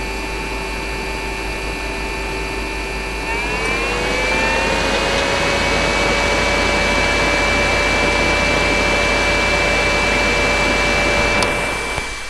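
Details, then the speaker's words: Riden RD6012 power supply cooling fan modified with thermistor-and-zener temperature control, microphone at the fan: steady whir rises smoothly in pitch as the thermistor is heated; normal temperature-controlled fan speed-up. "i'll move the microphone back to the fan and you'll hear it's now running but i'll then heat up the thermistor and you hear the fan speed up"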